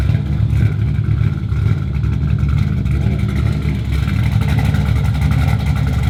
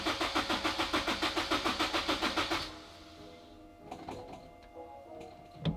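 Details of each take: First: LS1-swapped Honda S2000 V8 with Texas Speed MS3 cam: deep, loud, steady, slightly harsh rumble, even and strong with no knocks or misses; healthy engine. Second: Turbo Honda S2000: starter churns steadily about three and a half times a second for nearly three seconds, engine never catches; cranks but no start, owner suspects fuel needs priming again.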